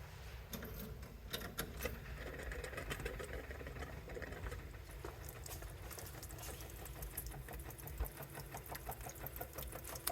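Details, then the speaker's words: 1971 MGB GT, 18,000 miles, after adding 10 litres of fuel, fuel pipe off into a container: quick, even ticking of the electric fuel pump settling into a steady rhythm, pumping good fuel normally. "Well, that's a bit more fuel than there was before. Let's let it just pump through for a sec."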